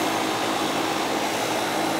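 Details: Goodman AC condenser with TXV during yearly maintenance, charge checked with superheat and subcooling within 3: steady even fan rush with constant low compressor hum, no rattles or squeals; running normally.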